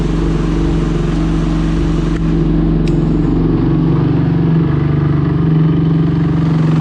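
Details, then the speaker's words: Honda TRX 450ER rebuilt engine, first start with new fuel line, carburetor o-rings leaking fuel: deep steady single-cylinder thump holding an even beat with no knocks or rattles; engine runs smoothly and sounds healthy. "all right that sounded good we're leaking a lot of gas here so i need to get some o-rings for that"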